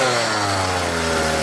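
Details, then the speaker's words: Homelite 42cc two-stroke chainsaw, about 10 years old, previously shutting down when hot, after a comprehensive carburetor clean: steady smooth buzzing idle holding one pitch without surging or dying. "idle's good rev's good that's all it needed was a carburetor clean a comprehensive one even idle"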